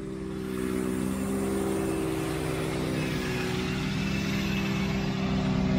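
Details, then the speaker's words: 1992 Mercedes 600SEL V12 at cold idle after the exhaust repair, much quieter than the hideously loud exhaust before. Smooth, even low hum with no blowing or puffing. Exhaust seals are still missing. "yep much nicer oh my God day and"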